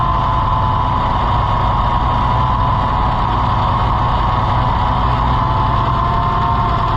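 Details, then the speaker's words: Farmall IH 560 tractor that stopped running after the owner changed the timing, thought to be flooded before it started; a loud, low, rough idle with a faintly uneven beat, as if a cylinder occasionally drops out. Suspected miss; a crack on the exhaust side was questioned. "Let's try to start it again. It just seems like it's got a miss, and I don't know."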